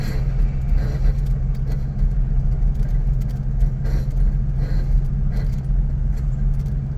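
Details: 1988 Toyota Pickup 4x4 front passenger wheel: low road rumble with a scraping, squeaky grinding burst about once a second as the wheel turns; cause not yet identified.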